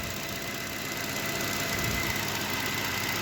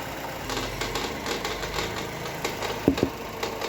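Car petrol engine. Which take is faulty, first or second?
second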